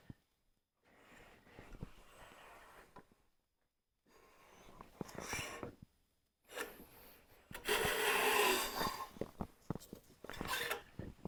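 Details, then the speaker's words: Stanley hand plane (compared against a WoodRiver; a Stanley #5 is listed), used for the first time in a long while. Its thin blade is hard to fine-tune and hard to pull a shaving with. Rough, rasping strokes with a fast juddering buzz instead of a clean hiss: blade chatter. "It's hard to pull a shaving off of it. Did you hear that chatter? That's that blade."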